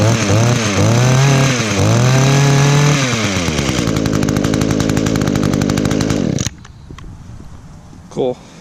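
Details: 2010 Echo HC 150 hedge trimmer, carburetor had previously failed, probably unused since late spring, started on choke with primes: revs up and down in sharp rising buzzes, then holds a steady high-pitched run before shutting off; normal running.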